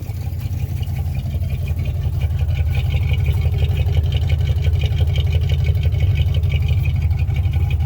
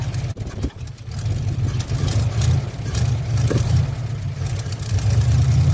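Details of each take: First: 1957 Chevy 5400 low cab forward with a swapped-in 1955 265 V8 and freshly rebuilt manual-choke Rochester 2G carburettor, first winter start: smooth, deep, even idle with steady pulse, no stumble, hiss or tapping; normal idle. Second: 1957 Chevy 5400 low cab forward with swapped 1955 265 V8 and freshly rebuilt manual-choke Rochester 2G carburetor: low, uneven, lumpy rumble that won't settle as it revs, running rich because the choke was left on.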